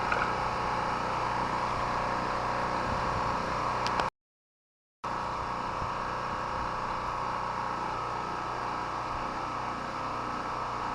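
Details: Chinese Honda-clone portable petrol generator, unused about a month, run about 15 minutes on mostly year-old stabilized fuel: steady, even drone at constant pitch with no misses or surging; running smoothly and healthy.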